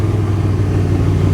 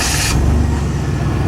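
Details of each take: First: 1991 Chevy S10 with carbureted V6, project truck needing a tune-up; low throbbing idle wavering slightly beat to beat, a weird idle, cause undetermined; irregular idle. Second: 1991 Chevy S10 with carbureted V6, long-sat project truck that started right up once fuel reached it; steady even low rumble, no knocks or misses, sounds solid but needs a tune-up; normal idle.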